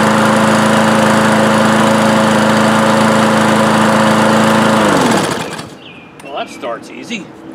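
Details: Craftsman lawn mower after starter rope replacement: small single-cylinder engine runs steady and even at full throttle for about five seconds, then shuts off cleanly; normal running.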